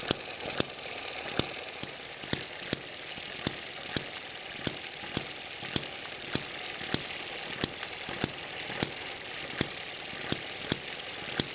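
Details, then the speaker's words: Eachine ET7 model hit-and-miss engine with governor springs stretched to slow it: sharp single firing pops about every 0.6 seconds with quiet coasting between; slower, steady, correct hit-and-miss running. "so that slowed this down quite a bit and it sounds a lot more like a hit and miss engine"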